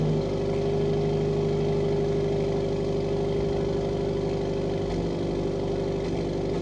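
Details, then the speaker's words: Subaru WRX, FA20 2.0L turbo on E85, first start after replacing fuel injectors (one was stuck open) and cleaning the throttle body, relearning idle after sitting long disconnected, a little smoke: smooth, even idle with no misses; normal idle. "All right, so far so good. We got a little bit of smoke coming. That should be normal for now as it figures out that fuel ratio."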